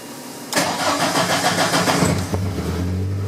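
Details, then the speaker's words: 1983 VW Rabbit GTI, 16V ABA engine on a Holley Dominator EFI with individual throttle bodies: with fuel prime on it cranks and catches, then runs rough for seconds before idling. Rich stumbling start from fuel prime. "So it seems to take a little longer to kick over, but then when it does, it's not farting as much. Yeah. Right? So, right, if I put that fuel prime back on, it stumbles."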